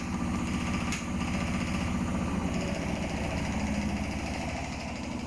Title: Hotpoint Smart Tech Very Unbalanced spin (Making strange noises)